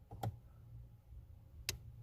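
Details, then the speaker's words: Hyundai Tucson four-cylinder HVAC mode actuator stuck on defrost: two sharp isolated clicks about a second and a half apart as the mode door cam turns through settings; door mechanism binding. "a click right there keep blowing it binds that screw go back back to normal defrost 1 2 & 3 will click there you go"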